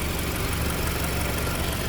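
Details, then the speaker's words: Car in Vietnam at idle after replacing a damaged, nearly failed outer accessory belt that had caused grinding noise: a steady, even low hum with no grinding or belt noise. "Không có tiếng ồn hay tiếng mài. Nhìn lại cũng không có tiếng đai ngoài."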